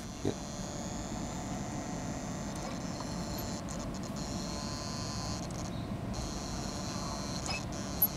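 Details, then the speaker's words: 1991 Mercedes 500SL with CIS fuel distribution and early electronic throttle actuator, ASR fault from corroded potentiometer: quiet steady low buzz in the engine bay, the actuator working normally, quieter than 1992-on units. "he a low buzzing noise there similar noise to 92 and up ETA electronic throttle actuator um but this one is much quieter"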